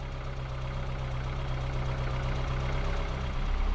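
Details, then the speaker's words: 50-year-old Austin Allegro, original 1300 A-series engine, starting: catches right on the button and settles into a low, steady idle with an even beat, no knocks or misses; healthy. "Of course you will, on the button. This is an A series. Sweet as a nut."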